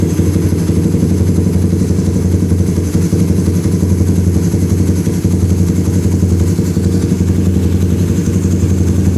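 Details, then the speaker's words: Suzuki Satria Fi150 fuel-injected motorcycle, idle screw near the throttle body: fast, busy idle with a slightly uneven beat and loud low drone; idle set too high and being turned down. "Oke, itu cukup tinggi , mungkin terlalu tinggi. Jadi, kami akan menurunkannya jika terlalu tinggi."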